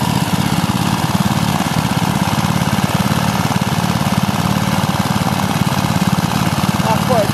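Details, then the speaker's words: Briggs and Stratton 3 hp single-cylinder engine running on E10 petrol: fast chugging at steady speed with a slightly uneven, stumbling beat, running rough, probably fuel related. "Factory gun threatened the engine, it's running on E10. It's not running that well."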